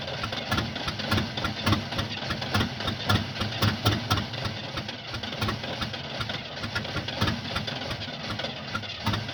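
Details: 1975 Oldsmobile that won't start: a steady cranking rhythm of around four beats a second drags on without the engine ever catching; it cranks but will not start.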